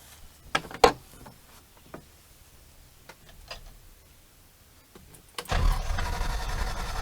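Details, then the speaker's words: Land Rover Series III with 350 small-block Chevy V8 swap, NV4500 5-speed, dual exhaust with two Flowmaster 40 mufflers: a few scattered clicks, then catches and settles into a steady throaty rumble; normal start. "It's not, you know, not that I'm trying to, you know, show off really, but it's just when you start this thing up and you hear it, it's just pretty neat."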